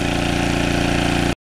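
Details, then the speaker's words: Early-1980s Generac S1500 portable generator running on a cold day after a cold start, left to run before draining fuel for storage; steady, even single-cylinder drone at constant speed, smooth pulse, no hunting, running normally. "so what I'm going to do I'm going to let that run for a little bit and then I'm going to drain out the gas"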